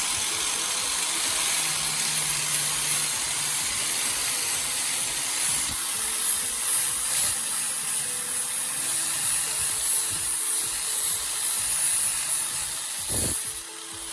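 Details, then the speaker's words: Corded angle grinder after worn carbon brushes were replaced: a strong high-pitched hiss as the disc cuts steel, holding speed without bogging, sparking or hesitation; it runs healthy under load. "ผมเสียบปลั๊กเปิดสวิตช์แล้วก็ฟังเสียงราบรื่นมั่นคงและแข็งแรงไม่มีประกายไฟไม่มีการลังเล"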